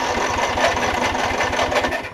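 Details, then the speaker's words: Newer Snapper RER mower with auto choke, P-switch must be pushed to crank: even starter chug around ten beats a second that never catches; cranks but won't start, owner suspects no fuel reaching the engine, old gas. "tries to start up you see so um it's got the auto choke on it and i think it's got i just don't think it's got any gas going into it so whatever's in there is not very good"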